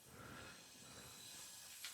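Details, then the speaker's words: 1979 Chevy inline-six 250 (4.1L), leak-down test on cylinder 4 (about 95 in, 18 out): soft steady hiss of air escaping slightly past the piston rings. "I hear it a little bit out the Rings a little bit out the Rings yeah you hear it"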